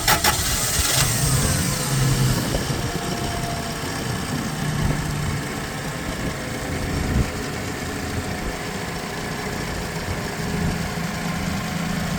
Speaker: До речі одразу можу показати як він запускається побачити на холостих обертах запуск